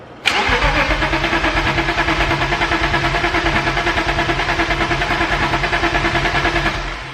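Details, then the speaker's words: Starter spins the engine steadily for about six seconds without firing on a BMW E34 525 restored after a blower motor fire, first start attempt, catalysts cut out, fuel system empty; owner suspects crank and cam sensors swapped. "Okay, so obviously with no fuel in the system, it's gonna have to prime up. I'll give it a couple cranks. If it doesn't go, then I'm gonna swap those two sensors."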